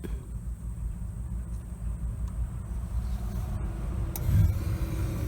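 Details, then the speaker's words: Water heater with a Honeywell gas valve after its failed control board was replaced: a soft click, then a low steady rumble swelling into an even burn as the main burner lights; normal ignition. "and the burner just came on and that's how you troubleshoot a water heater that's not working that has a honeywell gas valve"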